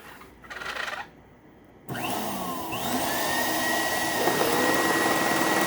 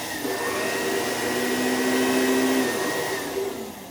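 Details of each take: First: Old donated upright vacuum with a paper bag fitted: the motor spins up to a high whine with a rough rattle about four times per second. A bad brush roll is suspected. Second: Vacuum left outside in a rainstorm, back still damp, first power-on: motor spins up into a clean, steady whine that holds even, then eases off; sounds strong and healthy.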